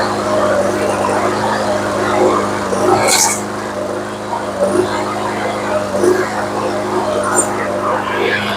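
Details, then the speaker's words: Briggs & Stratton commercial engine on a TB360 mower that had old gas and a gummed carb: runs but surges and stumbles every second or two, misfire cured by fitting a new spark plug. "Okay, she does run, but she sounds a little bit shaky. So we're going to go ahead and put a new spark plug in it and see if that takes care of it."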